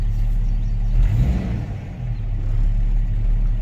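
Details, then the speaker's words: Jeep Grand Cherokee ZJ at warm idle after a jump start, thermostat apparently just opened: deep, steady bass-like drone, like radio bass with the radio off, no knock or tick; rumble source unknown. "It sounds like bass. It's like I got the bass up super high, but the radio is not even on."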